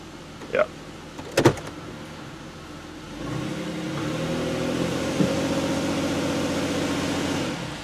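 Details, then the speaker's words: High-mileage Pontiac Aztek towed in for shaking and a suspected misfire: after a few clicks it settles into an even, steady low idle in reverse with no stumble or shake and no misfire; a crankshaft position relearn is suspected as needed. "it's not really misfiring there's there's no misfire there"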